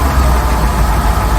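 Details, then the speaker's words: Rolls-Royce Silver Shadow V8 idle just after replacing spark plugs: deep steady burble, much smoother; previously running on fewer than 8 cylinders, slight shake remains, which is not normal, but much better. "because now it's sounding a lot smoother it's still shaking which is not normal but I think it's it's it's much better than"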